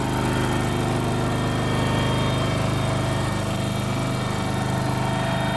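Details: Kohler engine in a Terramite T5 mini loader, which previously would not stay running, after fuel pump replacement: holds a steady, even idle with a constant low beat, no stumbling or surging; fix appears to have worked.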